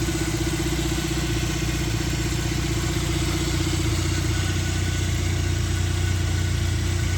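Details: 1996 Suzuki Jimny JA22W, K6A turbo engine, still cold after a cold start and idling a little high: smooth, constant idle hum with a steady low drone and no knocks or surges; sounds healthy.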